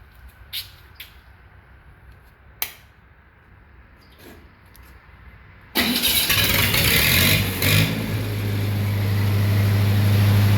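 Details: Lincoln SA-200 welding machine started after carburetor kit rebuild: a few handling clicks, then catches straight away and settles into a steady, even run with no misses or surging.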